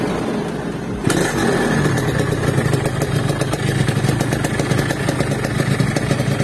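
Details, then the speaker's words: Yamaha RX King two-stroke, brought in for low power and poor climbing, after draining very dirty leftover fuel, restarted after repair: crisp crackle catching on first kick, settling to steady even idle; performance good, normal running. "pasang. Performanya bagus. Aku akan menginjak pedal gas ."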